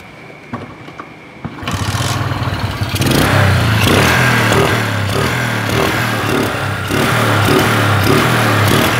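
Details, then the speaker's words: Motorcycle after replacing the rusted imitation spark plug cap with a direct lead connection, carburetor already checked: it starts and holds an even beat, quick throttle blips pick up cleanly with no stumble or misfire. "sekarang kita coba hidupkan dan kita gas spontan apakah masih brebet atau tidak"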